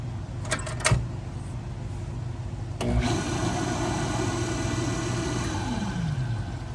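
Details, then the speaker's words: Pool pump motor that had quit and only hummed weakly, after replacing its start capacitor: clicks, then starts and runs with a clean steady hum, no grinding or stalling; normal running, still needs priming. "You hear it running, so now all we got to do is get it primed back up and she'll be good to go."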